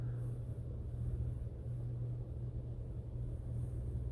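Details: Hunter ceiling fan after repair of years-long squeak caused by fins hitting a wire: low steady hum with no tick or squeak each turn; runs quietly and evenly, normal running.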